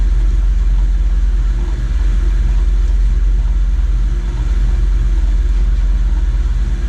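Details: RIDGID 945.1468R saw after fabricating a new blade guide from round stock and a nut (belt previously fell off at switch-on): steady low hum, no rattle, slap or scraping, blade and drive run evenly; normal running.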